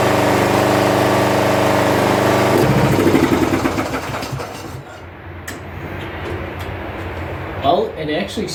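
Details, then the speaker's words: Curb-find John Deere SX75 riding mower after sitting: small engine fires and settles into a fairly even run, runs pretty good but smokes a little, owner unsure if from sitting; separate electrical issue suspected in switch or starter solenoid. Normal running. "and runs pretty good smokes a little bit so I'm not sure if that's just from sitting"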